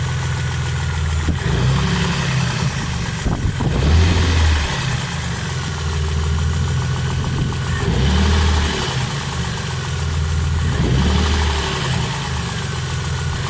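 Heavy low thumping at roughly 220 a minute over the idle, somewhat irregular, pointing to a deep knock in the bottom end. Cause suspected, not confirmed.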